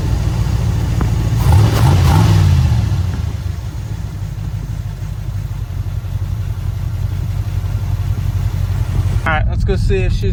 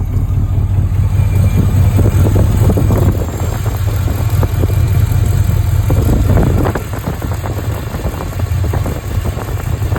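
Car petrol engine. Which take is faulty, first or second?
second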